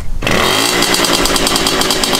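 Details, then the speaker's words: 70cc Puch Maxi moped after upgrading from the stock 14mm carburetor to a 19mm Dellorto, no air filter fitted, first start on choke: catches and settles into a loud, crackly, rapid two-stroke idle with a steady raspy rhythm; runs strong. "oh dude that thing sounds mean"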